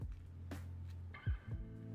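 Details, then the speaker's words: Printer sitting idle after printing labels: low steady hum with faint tonal overtones and no rhythm; cause of the noise unknown. "My printer is going burr over there. I apologize if you guys can hear that."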